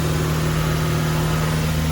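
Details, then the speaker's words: Toyota MR2 Mk1 after radiator and fan repairs and new leads, rotor and distributor cap, just started cold: a steady, even, slightly fast idle with a smooth hum and no misses or knocks; normal high cold idle that falls to 850 rpm when warm. "It's always idles high when they start. It's just a trait of the Mark 1 MR2. Once the engine gets up to temperature, the revs start to fall back down and it idles at 850."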